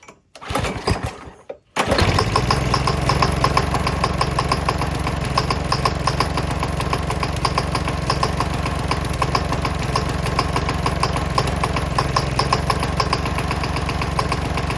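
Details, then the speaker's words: Briggs & Stratton flathead gasoline mower engine running on diesel with four spark plug non-foulers as a hot-bulb setup, after a pull start: harsh, uneven rattling knock about 200 a minute; diesel detonation knock. "four of these spark plug non-foulers on there, this engine is starting to make a lot of racket. As you can hear, there's a loud knocking sound that just doesn't sound too great. This engine was knocking like crazy with four of these things on there."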